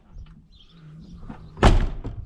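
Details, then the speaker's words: 1995 Chevrolet Silverado door shutting after new door latch and handle installed: one soft, solid thunk as it catches first time with no scrape or rattle; latch now works properly. "holy cow Grandpa's not gonna know what to do with himself now let's see what the inside's like she just shuts so nice"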